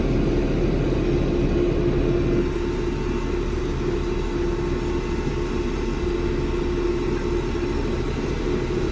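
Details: Diesel tractor in limp mode drones at a steady, modest speed, dipping slightly midway, capped near 1500 rpm instead of 2500. Strainer, water separator and tank-bottom samples showed water and slime in the fuel.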